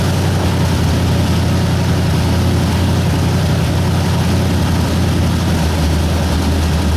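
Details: 1960 Ford F100 with 351W V8, first start after carburetor strip and clean, valve cover unbolted: deep, even low rumble, no misses, knocks or surging; oil light went off immediately, smooth healthy idle.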